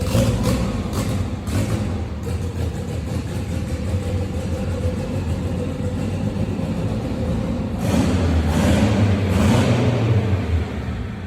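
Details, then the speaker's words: Turbocharged EK on first drive after clutch and brake bleeding: uneven loping low-rev beat swelling when revved, sounds cammed but the engine tune is off. "Sounds like it's cammed out, but it's just the tune that's all off."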